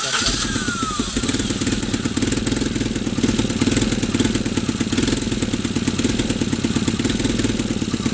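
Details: Tata Nano small petrol engine catches and idles with an uneven, stumbling misfire beat instead of a steady pulse.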